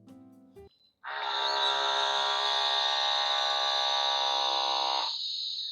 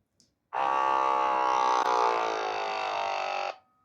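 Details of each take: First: Pixapresso portable espresso maker modded to non-pressurized basket, 16 g coffee with pre-infusion: steady, even buzzing pump hum about five seconds then fades, no straining or choking; normal extraction, about 35 s giving 45 g. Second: Pixapresso portable espresso maker modded to non-pressurized, about 70 ml of water with a finer grind: the pump strains and buzzes, sags in pitch and keeps stopping, unable to push through the coffee.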